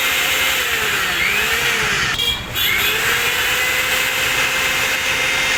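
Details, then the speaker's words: Mixer grinder motor (Sujata mixie) that had seized with rust and would not run, freed by rust removal without changing brushes: steady high-pitched whine with smooth even hiss, no catching or grinding, spinning freely and fast; normal motor run. "ನೋಡಿ, ಈಗ ಭಾಳ ಈಸಿಯಾಗಿ motor run ಆಗ್ತಾಯಿದೆ. ಇದು ಈಗಲೂ run ಆಗಿಲ್ಲ ಅಂದರೆ ಬುಷೆಲ್ಲ change ಮಾಡಬೇಕಾಗಿತ್ತು."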